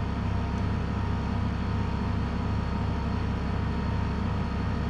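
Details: Nakatomi MAC-20 2.2 kW portable air conditioner in cooling mode on a 900 W inverter generator: compressor starts and runs with a steady low hum under generator noise, no stumbling or cutting out; load climbs gradually.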